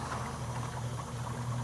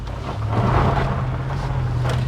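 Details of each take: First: 2011 Range Rover with suspected failed head gasket idling during BlueDevil treatment: bubbling, gurgling coolant under heavy pressure, compression believed blowing into the cooling system with a hot pocket; not confirmed. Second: 2011 Range Rover with suspected head gasket problem and hard starting: steady low engine drone while driving under light load, even with no knocks or misfires; temperature fine, no check engine light, runs great but won't start reliably.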